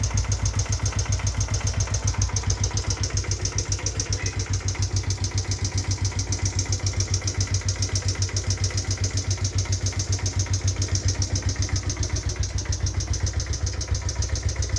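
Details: Raider J Pro small motorcycle idling: a steady, heavy knock at about four times per second, which appeared after the engine was revved hard to top speed. Engine knock suspected, not confirmed.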